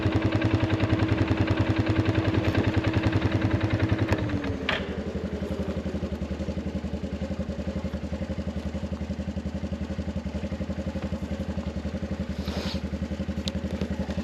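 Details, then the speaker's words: Arctic Cat 500 ATV near 0°F, earlier clicking with no crank and a weak AGM battery (200 CCA, 34% health): single fires up and settles into a steady, even putter of about 3.5 beats per second, a normal idle. "hear the ATV running"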